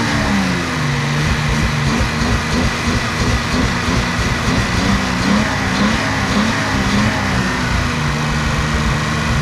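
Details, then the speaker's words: Nissan 280Z running after a screw adjustment got it started, before new injectors, wiring fixes and a new ignition coil: uneven lumpy beat with occasional exhaust stumbles, like a cylinder missing; owner thinks a slight misfire, not sure. "so it sounds a little rough a little misfire i think not sure i'll cut to the clip here in a second of it running um but it definitely needs some love"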